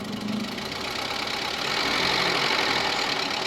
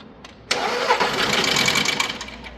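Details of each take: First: Petrol engine after rebuild for bent valves with new timing belt, tensioner and idler, first start: steady idle with faint quick ticking from emptied hydraulic lifters, expected to fade as oil fills: steady idle with slight hydraulic lifter tick. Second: Petrol engine brought in as a no-start, cranked after engine rebuild with new timing belt, idler and tensioner: harsh uneven whirr, never fires; valves are bent and noise comes from the cylinder head, which will be removed.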